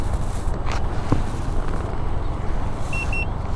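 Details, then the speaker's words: Veteran Sherman electric unicycle during full-range battery test, near empty at about 76 V with one battery bar: two quick high beeps about 0.2 s apart over riding and wind noise, a warning alert. "just a subtle little beep-beep every once in a while so I can live with that"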